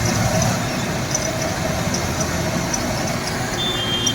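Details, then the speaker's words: Hyundai i10 1.1: uneven lumpy idle with unsteady low rumble, vibration, backfiring and poor pickup; misfire caused by spark plug wires fitted on the wrong cylinders. "और CNG के अंदर तो पटाखे ही फोड़ दी है जैसे दीपावली ए चुकी है अब वाइब्रेशन देख सकते हो"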